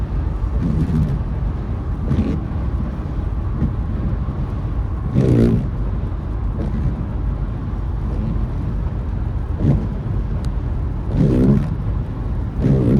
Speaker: Äh laut Werkstatt funktioniert der Scheibenwischer. Aber so wie man hören kann, funktioniert er wieder nicht.